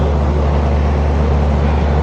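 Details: Neglected central AC condenser in Orlando, running after rewiring to dry out before gauges and refrigerant are added: a steady, even low hum and deep drone with no knocks or rattles; the unit runs normally.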